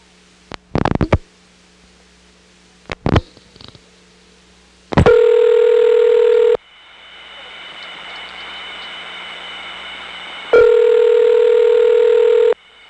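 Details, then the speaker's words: 1977 recording, Smyrna GA ESS T-carrier trunk to 75 West End ESS, early T-carrier sound from around 1969; clean steady tones separated by hissy rushing noise floor; awful-sounding noisy trunk. "Now, as to the 7s, everything in the 7s is on T-Carrier from the Smyrna ESS, so let's choose the worst example possible, which is an awful-sounding T-Carrier trunk to the 7.5 West End ESS. This illustrates the early sound of T-Carrier that started showing up around 1969."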